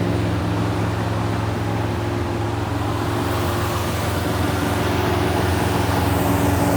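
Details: 1971 Plymouth Satellite 318 V8 with a newly fitted Thermoquad carburetor: steady even drone held well above normal idle, around 2,000 rpm, not dropping back; fast idle because the secondary air door, linked to the choke pull-off, is hanging up.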